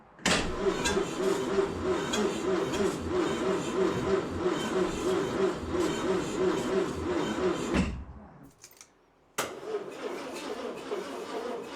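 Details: 1968 Land Rover Series 2A 2.25 L petrol, first start attempt after 30 years, rebuilt carb and fuel pump, new plugs and HT lead: starter churns about three turns a second for eight seconds, never catches; spark present, fuel delivery suspected.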